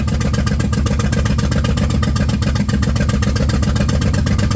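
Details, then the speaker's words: 1995 Plymouth Voyager, 209,068 miles, first start after years sitting and a botched head gasket job: loud, heavy, ragged pulsing at fast idle; running rough while leaking heavy oil, owner suspects it jumped timing. "Would you look at that? Did you hear that? She fired up. Boy, did it not sound right."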